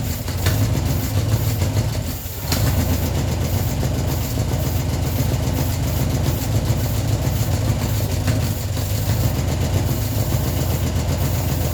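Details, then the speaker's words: Ford Escort neglected 14 years, revived after flooding, idling only on the fuel in the carburetor bowl with fuel supply not yet sorted: low, steady rumble, even beat, one brief dip; running quite well. "As you can see, it's running quite well now. Just got to get the fuel supply sorted."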